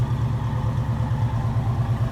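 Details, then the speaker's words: 1972 Chevy C10, 350 small-block V8 (non-original) with TH400, electric-choke Rochester carburetor, ~2.5-inch exhaust: steady even low burble, regular firing beat, no misses or ticks; smooth normal idle. "it idle smooths but it's not really a fast truck by any means"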